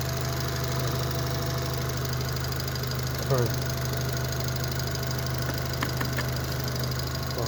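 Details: Daewoo Matiz fitted with a Chevrolet Spark 1.2-litre petrol engine, shown at a workshop after the swap: smooth, steady idle hum, with no knock, miss, vibration or surging.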